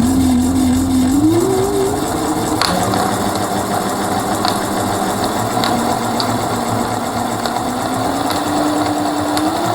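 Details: Mercane Wide Wheel electric scooter, rear hub motor: a rattly whirring drone rises and falls with wheel speed, with a rough chatter about three times a second, like a loose nut spinning inside. Owner suspects something came off inside the motor; cause unconfirmed.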